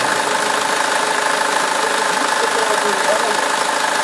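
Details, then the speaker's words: SsangYong Kyron diesel first start after an oil change with flush and a new filter: loud, rapid clatter at about two to three beats a second; abnormal start-up noise, brief oil starvation suspected while the new filter filled. "Беспонтовый какой-то, да? Что это было? Наверное, фильтр, новый фильтр, наверное, пропитывался, наверное. Не хватило чуть-чуть. Как голодание произошло, видимо."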